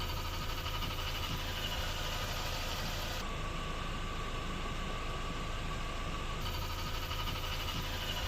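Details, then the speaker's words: VW Passat B5 engine after removing and repairing the Valeo 90A alternator; steady even idle with no alternator groan, only a faint bearing hum; normal idle after repair. "Everything is quiet The generator no longer groans The engine is running ok in general silence"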